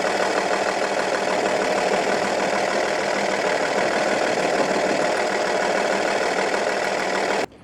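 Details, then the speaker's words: Audi A8 D2 2.5 TDI V6 AKE diesel idling rough and lumpy after owner replaced hydraulic lifters and rockers; loosening the cylinder 4 injector nut changes nothing while cylinders 5 and 6 change, so cylinder 4 is dead from a broken exhaust valve. "really when unscrewing the nut from the injector of the 4th cylinder , the engine operation does not change, and when unscrewing the nut from the injectors of the fifth and the sixth cylinder, the work of the engine changes and you can hear it"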